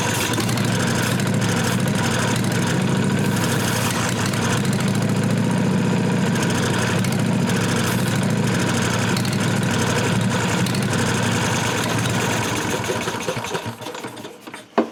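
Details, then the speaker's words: 1998 Briggs & Stratton Vanguard 16HP horizontal-shaft V-twin, cranked on jumper cables after replacing a dry-rotted fuel line. About 13 seconds of steady cranking that never catches. The owner believes the unwired carburetor fuel solenoid was closed, so the pump had nowhere to send fuel. "Alright, I think I figured out what the problem is. I forgot all about this engine having a fuel solenoid on the carburetor."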